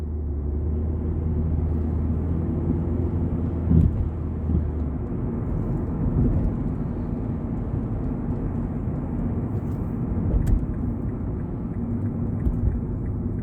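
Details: 2006 Mazda 3 2.0 L driving normally, heard from outside while tapping the accelerator in drive and reverse: steady road rumble broken by sharp pops and rattling knocks every few seconds; heat shields ruled out, suspected worn or torn engine mount.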